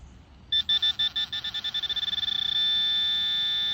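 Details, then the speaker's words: Garrett Pro-Pointer AT pinpointer: high beeps quicken from slow pulses to a steady tone as the tip nears the target; pulsing means near it, a steady tone means right on it. "okay if you hear this you're near it gotta keep going this you should be right on"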